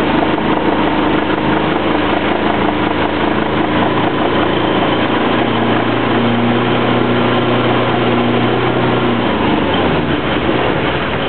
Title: sailboat engine whine noise